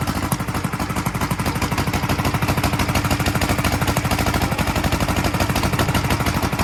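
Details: 1943 Gravely Model L single-cylinder starting after a magneto swap to a rebuilt Wico, running a borrowed carburetor set for a 1955 L: uneven putter at about three beats a second with pops out the carburetor and exhaust; owner expects lapping the valves and checking the valve lash to help.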